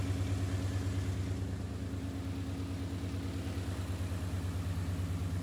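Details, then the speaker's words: Brand new Ford 5.0 crate V8 in an S550 Mustang drift build, just after first start: deep even rumble at steady idle, no ticking or clacking; healthy normal idle. "Sounds good. Don't sound terrible. I don't hear any clack, clack, clack, clack, clack, clack."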